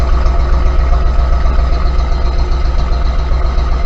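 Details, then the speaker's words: 1991 Ford F250 4x4 with 5.8 351 Windsor V8 and 5-speed manual, restrictive exhaust: steady low idle with a faint even puff-puff from the pipe about two or three a second, weak exhaust note; soft puffing exhaust at idle. "I'm not a fan of just hearing a fan. Okay, you can hear a little puff, puff, puff, puff, puff."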